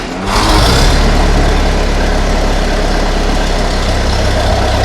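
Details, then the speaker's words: Ferguson TEA20 tractor during restoration, freshly rewired with a new distributor condenser and ignition timing only roughly set: steady, even fast idle with no knocks or misses, sounding good while timing is adjusted. ">> That sounds good, doesn't it?"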